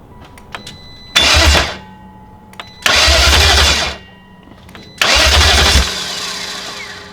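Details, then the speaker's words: Three short cranking bursts, each cutting out after about half a second, on a BMW E38 with a freshly installed replacement V8 on a start attempt with fuel. A weak jump pack keeps cycling off; the engine has fired and there is no EWS issue. "Okay, so our jump pack is very cycly on off, and I don't think it's got enough juice in it just to hold it on for a while, which might be what this engine needs."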